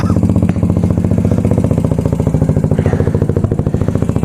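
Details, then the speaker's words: Motorcycle at idle after replacing the blown exhaust gasket and fitting a Megaton muffler, with a pod filter and untouched jetting: loud, crisp exhaust pulses with a slight lope, no misfires or ticks, low rumble, little back pressure; healthy, free-flowing pipe. "Ah, that's beautiful, man. It's awesome. Low rumble."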